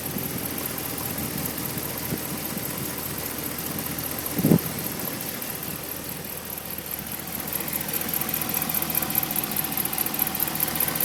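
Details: 2010 Ram 5.7 Hemi V8 at steady idle with a faint, light ticking riding over it; mystery tick of unknown source.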